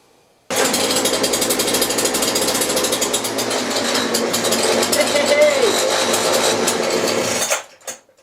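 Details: McCulloch two-stroke grass strimmer rescued from the tip, unused 5 years, test-run with new threaded shaft end: loud, steady buzz for about seven seconds, then cuts off cleanly; starts and runs evenly.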